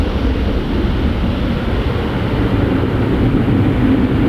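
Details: Boeing 707-358C (Pratt & Whitney JT3D-3B engines) on takeoff from Ostend runway 08, 1996: steady deep jet roar, clean normal takeoff without compressor stall, after an earlier aborted attempt with an engine No. 1 stall.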